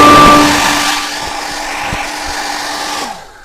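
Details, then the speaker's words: Hair dryer on second speed after the loose fan impeller was reseated on its shaft with glue, a steady even motor hum with no scraping, then a smooth wind-down; now runs normally. "всё на второй скорости никаких задиров нету всё работает отлично"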